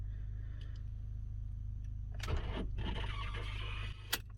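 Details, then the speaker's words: Key turned: brief click and short whirr, then nothing, the engine doesn't crank, needing about three attempts to start; two batteries under seat possibly replaced, owner doubts battery or wiring; starter motor failure suspected. "Listen to what it's doing, and it's doing this all the time. This is why I don't think it's battery."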